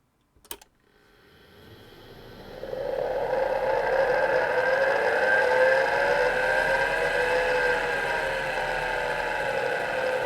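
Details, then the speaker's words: 40-year-old hard drive in an IBM 5161 expansion unit for an IBM PC 5150, mic close to the drive: whine climbs from silence, wavers in pitch for seconds, then settles; spindle slow and unsteady reaching speed. "well that was a bit strange it takes the spindle a while to run up to speed but you can hear it varying speed until it sort of steadies"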